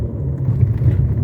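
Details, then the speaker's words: 2018 Fiat Argo 1.8 HGT road test over a speed bump and holes after suspension repair. Only a low, smooth rumble; the earlier right-side banging is gone and the ride is soft. The replaced right shock feels firmer than the left. "a suspensão dele ficou show de bola tá parou os barulhos que ele tinha né para o barulho de bancada que ele tinha ficou bacana ficou macio né"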